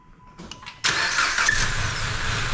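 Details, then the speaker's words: 2014 Dodge Avenger 2.4L, first start after cylinder head and head gasket replacement: catches after a brief ragged stumble, then steady even quiet idle; short initial misfire, suspected from assembly lube in the cylinder head. "doesn't sound too bad you probably had a little assembly Lube in the cylinder head and that's why I kind of misfired to start with but it's uh it's only real good nice and quiet"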